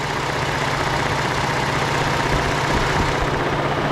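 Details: 2013 Ford F-150 3.5L EcoBoost auction truck at idle, fan and AC off: quick, light, uneven ticking rattle, stronger at the high-pressure fuel pump by stethoscope; noisy mechanical pump suspected, not 100% sure.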